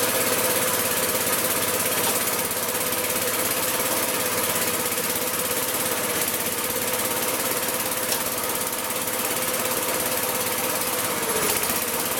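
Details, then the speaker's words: Magna air compressor with circa-1983 Briggs and Stratton engine, sat 5 years: uneven hunting clatter near three beats per second as choke comes off, fuelling not right; leaning it out ran better, then it shut off. "all right too much or too little fuel there started leaning it out and started running way better and then kind of shut it off or killed it there"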